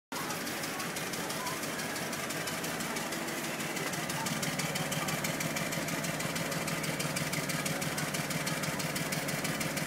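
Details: Volvo 745 idling with an uneven, loping beat of about three pulses a second; dash warns of misfires on cylinders 1, 3 and 4.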